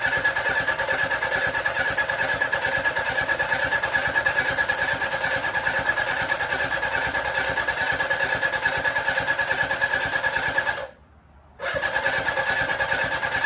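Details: 1983 Suzuki GSX750ES four after rebuild, carbs newly installed, first start, no exhaust fitted: loud rapid open-pipe cranking with uneven firing struggling to catch; slow to get compression and fuel, then runs on all four.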